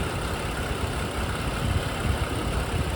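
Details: 2011 BMW 535i F10 N55, about 109,400 miles, at idle: steady, even low idle with light injector tick, no timing chain rattle or slap; healthy.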